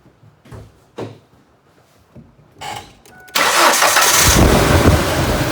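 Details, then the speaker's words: 1998 Ford Ranger that ran poorly: cranks and stumbles into uneven idle with a missing beat, misfire caused deliberately by unplugging the injector (believed number one) for a noid-light test; runs smooth once reconnected. "all right as you see there the annoyed light was flashing ejector was unhooked which caused the engine to misfire now we hook that back up and our engine will run smooth again"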